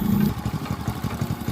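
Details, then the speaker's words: Motorcycle idling steadily with quick, even thumps and no misses after its dead spark plug was repaired so it would start again; spark is stable and the engine sounds good. "udah maunya lagi nih guys motor saya nih guys dan apinya stabil nih guys suaranya motornya juga bagus nih guys"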